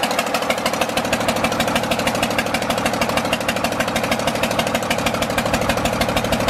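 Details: John Deere 4040 diesel tractor just revived after sitting for years: steady idle at about two beats a second with an uneven, lumpy pulse. It is not firing on cylinder number five.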